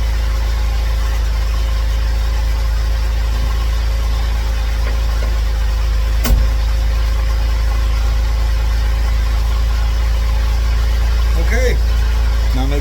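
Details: Cadillac CTS at first start after engine bay cleaning and reassembly: a smooth, even idle with a steady hum and no grinding or whirring from the engine front. The earlier grinding noise is gone and it is charging 14 volts.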